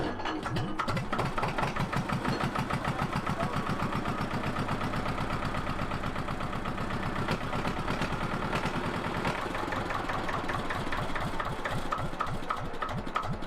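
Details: Engine of a 1970s Johnson's dumper being repaired, idling on a cold day before the gearbox was refitted and tested; steady, even low chug with no knocks or misses; normal idle.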